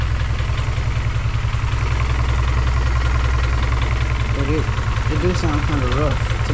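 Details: G23/H2B hybrid engine with K-series manifold on first start-up, idling too low at about 600 rpm: a slow, lumpy pulse two to three times a second. Owner says it sounds somewhat rod-knocky and needs the idle raised.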